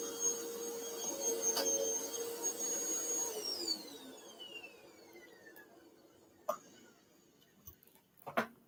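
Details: Bissell Powerforce Bagless 6579-2 vacuum, test run before tear-down; owner notes a smell and squeaky handle, belt issue suspected: steady high motor whine over lower hum, winding smoothly down at switch-off; motor runs normally.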